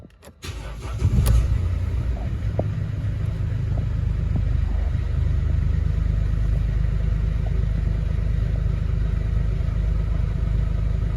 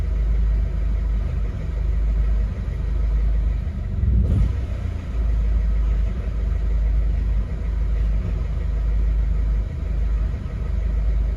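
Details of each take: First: 2011 Mercedes Vito 113 CDI, OM651.940 common-rail diesel at idle: steady, even idle with no misses or knocks, will idle all day; rough idle and stalling only occur after revving and returning to idle, owner suspects pressure control valve. Normal idle. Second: 2011 Mercedes Vito 113 CDI, OM651.940 common-rail diesel; idles fine until a brief rev, then on returning to idle runs rough with a low uneven wandering rumble, to the point of stalling; owner suspects faulty fuel pressure control valve.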